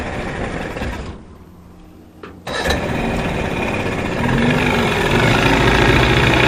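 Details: 1989 Johnson 40 HP VRO outboard; after a pause it fires and settles into a busy, slightly uneven idle that keeps climbing, a poor idle not yet fixed.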